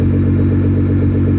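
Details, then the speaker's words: Nissan R35 GTR just after Deatschwerks DW300 fuel pump install, first start: steady, even idle with a smooth low pulse, no misses or ticks, no check engine light; sounds healthy and settled. "sounds good it's idling okay [Music] nice no check engine idles good bro"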